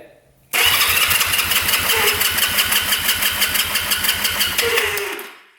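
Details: 1971 Honda CL350 Scrambler, unrun over 25 years, compression test with throttle open: starter whirring with even strong compression pulses about three a second, no skips; right cylinder reads 180 psi, left 170 psi, healthy.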